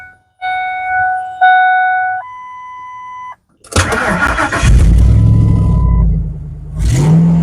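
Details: Vehicle after welding repair of an exhaust leak: electronic tones, engine cranks, catches quickly and settles into a steady idle with no puffing or ticking from the exhaust.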